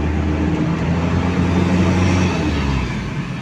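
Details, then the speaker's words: Toyota Kijang diesel driving after a clutch disc, pressure plate and flywheel resurfacing job: steady drone under road noise, no whir or chirp from the clutch; earlier noise gone, release bearing quiet. "putar balik sudah halus dan nyaman ya kita pakai bentar lagi dan juga suara berisik udah hilang"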